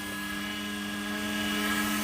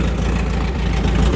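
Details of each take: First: Volvo 740 petrol, unstarted for about 20 years, after fresh super unleaded added; owner unsure the fuel pump worked as relays often fail: steady faint electric hum with a thin whine, no pulsing or clatter; fuel pump running normally. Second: Volvo 740, just revived after about 20 years: steady low idle with a loud raw deep rumble from the exhaust, which is broken and detached; engine itself runs even and sweet. Exhaust flap was stuck, freed by working it; alternator not charging.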